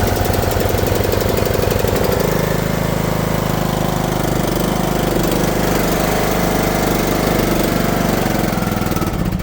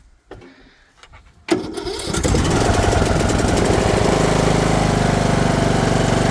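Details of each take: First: Briggs & Stratton lawn mower engine cold start after sitting in a hayfield over a year, on foul-smelling old gas, burns lots of oil; fast, uneven chugging that stumbles and shifts tone before dying; rough running. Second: Briggs & Stratton lawn mower, cold start after sitting over a year in a hayfield on stale gas, burns oil: a couple of sputters, then catches and settles into a steady, even patter without misses; running normally.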